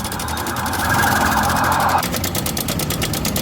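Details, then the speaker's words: Honda Vario 125 scooter idling at light throttle: quick, light ticking rattle about three per second, a clearly noisy engine. Worn cam chain tensioner; timing chain being checked. "Okay, this is a Honda Vario 125 motorbike. The sound is clearly noisy."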